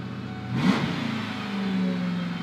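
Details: 1996 Ford Mustang GT convertible, first start after fuel filter replacement, fuse and battery reconnected: engine catches and flares in a quick rev, then settles to steady even idle; normal start and rev.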